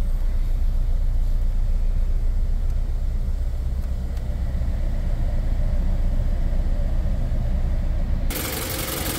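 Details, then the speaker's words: 2008 Toyota Camry (2009 per description), coolant at about a quarter, AC just turned on, check engine light lit: lumpy idle with a deep irregular shake. Misfire on cylinders 1 and 4 flagged by scanner, attributed to low compression. "as you can see now shaking pretty bad I guess it gets a little bit better and then star shaking"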